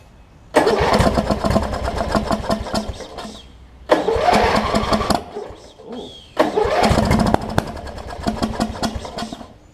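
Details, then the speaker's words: Wizard (Craftsman) riding mower with a worn-out old carb and a hit-and-miss starter solenoid, after carb cleaner spray: three separate multi-second bursts of steady cranking, no firing; won't start; suspected fouled plug or sheared flywheel key. "well it could be a foul plug it could be an array of things it could be a sheared fly"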